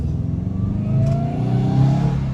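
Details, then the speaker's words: Subaru WRX going into boost: engine note climbs smoothly with no tapping or rattle over it; owner confirms no knocking; clean pull. "I went into boost a little bit. No knocking. No knocking."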